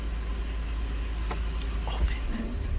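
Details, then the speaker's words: 2007 Buick Lucerne with linear EGR valve wires jumped for a test, valve held closed: smooth even idle with no stumble or dips; opening the valve makes it stumble like a misfire; normal idle. "so right now it's closed it's closed so right now it's running normally"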